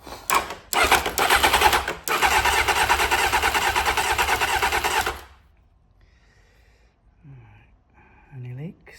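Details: 1992 Honda Fireblade with a new fuel pump, on only 150 ml of petrol and choke: it catches and burbles about five seconds with a quick, slightly uneven beat, then stops. A fuel leak followed.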